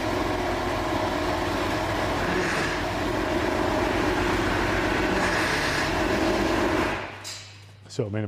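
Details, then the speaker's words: Freshly rebuilt air-cooled Porsche 911 flat-six, first start after reinstallation, no oil yet in the tappets so ticks are expected: fires and runs fast and busy with light tapping on top, then cuts off, a normal settling-in first start. "Seriously, I tried to play it cool in that workshop, but watching that engine fire up for the first time was a highly charged experience for me."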